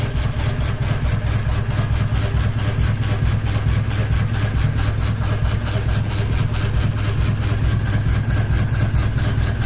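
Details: Ceiling fan running with one blade and a ball hanging off it, steady rhythmic thumping about twice a second over a low hum as the unbalanced fan wobbles on its mount; blade imbalance wobble.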